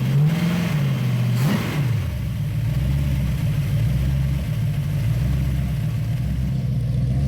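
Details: 1966 Ford Bronco 302 V8 with Lunati VooDoo flat-tappet cam, headers and Cherry Bomb Vortex mufflers, after replacing a lifter with a bad metering plate: quick clean rev settling into smooth idle, no valvetrain tick; normal idle and rev.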